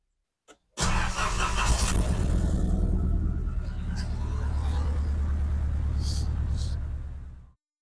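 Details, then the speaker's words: 1980s Nissan Silvia S12 stored 30 years, started on a borrowed battery, alternator not charging: cranks and catches, then a loud, raspy low-pitched idle with coarse pulse; exhaust leak suspected, not confirmed. "and then also it makes quite a bit of noise so I suspect a fit in the exhaust"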